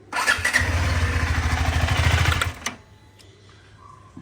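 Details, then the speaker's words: KTM 390 Adventure single cylinder catches and thumps unevenly for about two seconds, then cuts out abruptly; stalls directly after starting, cause unknown to the rider. "Of ಆಗ್ತದೆ ಗಾಡಿ ಏನಕ್ಕೆ ಅಂತ ಗೊತ್ತಿಲ್ಲ"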